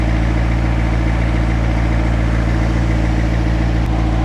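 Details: McLaren 650S V8 cold start: a loud, deep, steady drone with an even pulse and no misses or knocks, a healthy fast cold idle. The low oil pressure fault remains.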